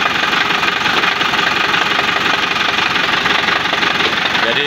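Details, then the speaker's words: 2005 Isuzu Panther LM diesel before teardown: harsh idle with steady knock near three per second over clatter; worn timing gears suspected, engine mounts severely worn causing vibration. "kita tes hidup dulu guys suara mesin kasar kita cek dulu ya sebelum kita bongkar"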